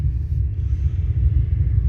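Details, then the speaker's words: Car audio with two Soundqubed HDX3 12-inch subwoofers on a Taramps MD 5k amp; constant deep, wavering rumble from the subs with head unit volume at zero and slight gain, traced to a faulty RCA cable. "so i developed some static or speaker noise coming through my subwoofers and i'm not really sure what it is"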